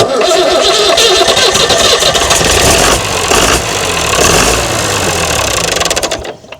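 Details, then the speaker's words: Mystery old six-cylinder Perkins turbo diesel from a farm, no history, first start attempt: starter churns briefly, engine catches and runs with even diesel clatter, then winds down at shutdown; healthy cranking and start. "It's going to turn by look of it. It looks like it's turning the right direction. Looks like it might run this thing, you know."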